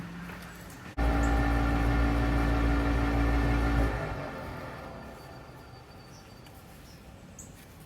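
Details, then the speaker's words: Rheem gas furnace draft inducer spinning up when the burner lights: loud, rough droning hum with a pulsing buzz, then winding down; failing, vibrating inducer assembly replaced. "I'm gonna go turn the gas on and you'll be able to hear the draft induction motor spin up and you hear a weird sound coming out of it here"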